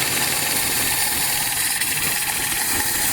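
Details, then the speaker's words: Abandoned 1982 Nissan 720 King Cab, carbureted, revived after about 35 years sitting and running off a gas bottle: warm idle holds steady under a loud hiss, no knocks or misses, no smoke; earlier a slight popping was suspected to be a plug. "but all in all though it runs motor sounds real good no knocks no smoke"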